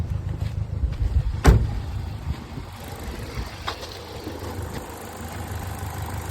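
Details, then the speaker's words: Chevrolet Cruze after valve cover gasket replacement stopping oil reaching the spark plugs, coils refitted and codes reset: steady low idle with no stumble or rocking, engine no longer shaking; misfire fixed, normal idle. "The engine runs fine now. No longer makes that same back and forth."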